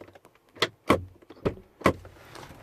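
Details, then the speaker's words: 2010 BMW 7 Series (F01/F02), passenger door pressed to lock by remote or the interior button. A few short buzzing clunks inside the door with each press but no latch throw; the pin doesn't move. Suspected failed door lock actuator. "so because there's a noise coming from inside the door um I'm gonna guess that's gonna be something with unlock inside with that actuator"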